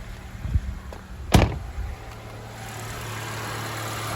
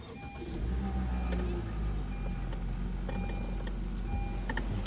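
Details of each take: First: 2017 Honda HR-V after replacing the serpentine belt, belt tensioner and idler pulley (the noisy idler pulley was the cause): engine starts after a door thunk and holds a smooth, steady idle with no squeal or chirp; normal idle. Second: 2017 Honda HR-V engine idling with a faint steady whirring from the belt end: a worn idler pulley bearing. The owner feared internal engine damage; the fix was a new idler pulley and serpentine belt.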